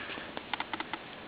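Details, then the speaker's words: Bush LT24M3 24-inch LCD TV under a year old, power fault, after freeze spray on the regulator: power LED on with faint dry irregular clicks every so often; unstable regulator (about 3.31 V) keeps cycling power. "And now the power LED is on. And you can hear it clicking every so often."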